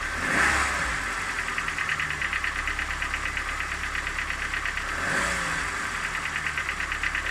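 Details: Engine at idle and short throttle blips with light quick metallic ticking, about seven or eight a second, persisting throughout; owner asks what this knock is, origin unknown.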